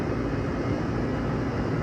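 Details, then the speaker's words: AC unit whose compressor wouldn't start, after replacing the bad capacitor: constant low even hum with no clicking or stalling; the compressor is running normally again. "okay yeah compressor is running now"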